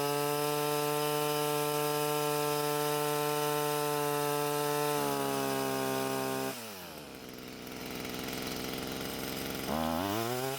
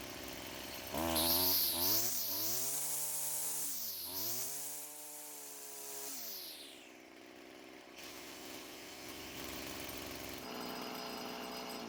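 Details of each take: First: Stihl string trimmer, small two-stroke, before exhaust clearing: steady low-pitched buzz revving up sluggishly, lacking power from a blocked exhaust outlet; throttle response and speed much higher after clearing. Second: Stihl string trimmer after clearing the clogged exhaust: quick, clean rise to a high steady buzz on each squeeze, crisp throttle response and even revving, engine speed much higher than before; normal full-power running.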